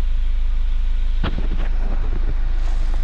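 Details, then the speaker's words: Kia Sorento diesel after new hydraulic valve tappet adjusters and timing chain tensioner: deep even idle with a quick blip and no ticking or rattle following; the former lingering tick on throttle release is gone. "So ngayon okay na po. Ano? Yun, tahimik na siya mga boss."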